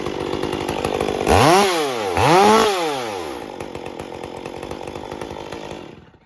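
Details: Stihl MS201T chainsaw with multiple issues, two revs then idle; rises and falls unevenly, inconsistent tune at idle and coming off full throttle; air leak in impulse line.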